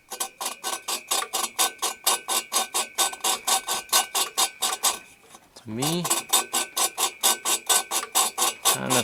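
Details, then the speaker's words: 1974 VW Super Beetle engine valve being lapped into the cylinder head with grinding compound: even back-and-forth swishing strokes, soft and uniform, grit no longer heard; valve lapped in and seating cleanly. "feels smooth don't really hear as much grit anymore"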